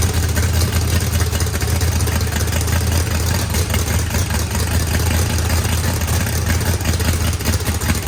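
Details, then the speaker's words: Freshly built turbocharged 409ci small-block Chevy V8, higher compression, first start after timing set and fuel pressure adjusted: a loud, lumpy, choppy idle with a heavy rumble. Good oil and fuel pressure, though oil spewed from the turbo drain. Normal idle. "Sounds good. Motor sounds pretty rowdy. Had good oil pressure, fuel pressure."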